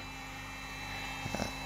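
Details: Cooling fan in a Chinese battery charger before lubrication: quiet constant whirr with a thin steady whine and faint chirps, unlike a second charger whose fan runs silently. Dry, dusty fan bearing; oiling it stopped the squeal.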